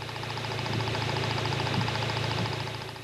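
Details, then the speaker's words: Toyota TCCS fuel injector heard through a sound scope (mechanic's stethoscope) on a running engine. Crisp, even, regular ticking at about three and a half clicks per second over a soft engine hum shows the injectors are working normally. Normal fuel injector operation. "We can tell whether or not the injectors are operating normally by listening to their sound using an instrument called a sound scope. If you can hear a regular rhythmic sound like this,"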